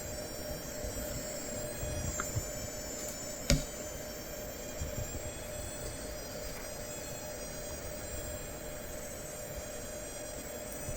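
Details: Asus ROG Zephyrus M16 2023 laptop, i9-13900H and RTX 4070, under load: thin, steady high-pitched coil whine from the chokes over fan hiss; it remains, quieter and at a different pitch, in silence.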